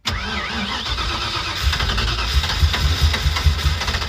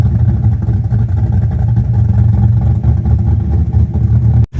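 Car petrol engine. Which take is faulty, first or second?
first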